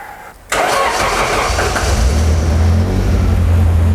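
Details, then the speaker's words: First start of freshly built BMW M42/M44/M47-B21 hybrid with Toyota ITBs and forged Honda K20 Wiseco pistons, after cranking to build oil pressure: short crank, fires instantly, settles into steady even idle with no misses or knocks. "And let's start it easy. Oh yeah. Oh yeah. Yes, we did it."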